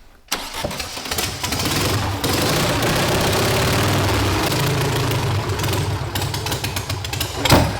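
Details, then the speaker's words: Volkswagen sand rail engine after the plug wires were rewired by distributor position. It cranks, catches, then idles lumpy and stumbling, still misfiring with no improvement; the firing order is still wrong and is later corrected to 1-4-3-2. "God d whatever we did did not help a single bit."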